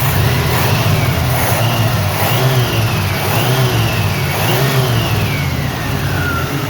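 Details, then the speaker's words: 1983 El Camino V8 first started after sitting untouched for seven years: a strong, deep rumble rising and falling through quick revs, smooth and even with no knocks. A healthy engine that runs surprisingly well. "looky there miss Carolyn that car runs better any car I've ever known that's been sitting up for seven years"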